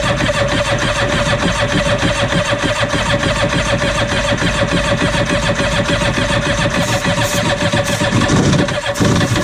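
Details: 1993 Yamaha WaveRunner 650LX two-stroke on a newly installed carburetor with fresh mixed gas, fuel valve switched on. It fires and keeps running with a busy, slightly uneven buzz and crackle. Running normally.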